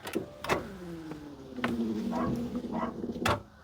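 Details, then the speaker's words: First-generation Smart Fortwo Cabriolet Passion, abandoned, on a booster pack in neutral: weak starter whir dragging and falling in pitch without catching, seemingly not enough power; slow cranking, cause unconfirmed. "interesting that sounds like not quite enough power doesn't it"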